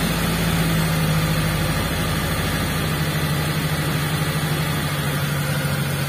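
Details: T120SS fuel-injected, before ISC cleaning: idle sits fast and even, hanging at about 1100-1200 rpm and slow to come down; high idle, suspected dirty or faulty ISC valve.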